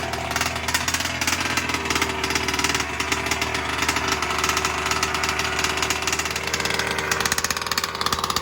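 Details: New BR 32cc piston-port two-stroke with a Bartolone end-bleed pipe, first-ever start after priming and a brief choke: rapid, regular popping that stays level and consistent without stumbles. It idles healthy; low speed was fattened for break-in.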